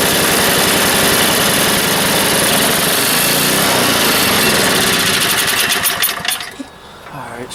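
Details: Neglected snow blower small engine, left outside since last winter, fuel with stabilizer: runs loud and steady with an even fast beat for about six seconds then shuts off; normal running.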